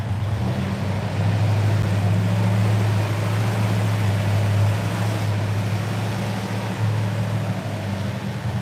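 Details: V8 started after cranking to prime fuel and oil pump, easy start: deep, steady burble with even lope, no knocks or misses; a clean healthy idle.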